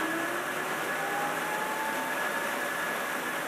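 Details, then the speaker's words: BMW EV conversion, 13-inch forklift motor on new 800 A controller with current-proportional throttle; clean whine climbs steadily as the motor spins up and slows, far less jerking or kicking than before, no surging. Normal motor spin-up and slow-down. "so as you can see the motor isn't jerking or kicking half as much as it did the previous time"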